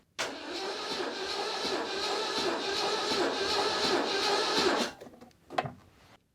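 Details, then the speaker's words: 1989 Citroën CX 2500 GTi petrol, 400,000 km on car, cold, coil disconnected and throttle held open for compression test: sluggish uneven cranking, no start; weak battery, starter struggling even with one cylinder compressing. "but if you listen carefully you'll notice that the starter motor has is struggling to spin the engine over even though it's only one piston that is actually got compression so the batter is weak"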